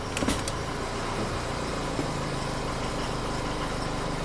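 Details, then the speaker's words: 2005 Jeep Liberty CRD diesel, 171,000 miles, in for lost power, limp mode and no boost with code P0105 (MAP/boost sensor): steady, even idle with turbo spooling audibly, so the turbo seems to work; boost sensor still distrusted. "okay i can hear the turbo spooling okay so that seems to work fine"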